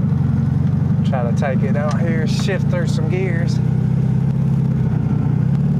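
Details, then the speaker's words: 1971/72 VW Super Beetle air-cooled flat-four, first drive after sitting over 30 years with rodents; steady low chug under bursts of chirping, insect-like squeaks, source unknown. "whatever that noise is is kind of concerning me though it sounds like a locust but i know that's not what it is"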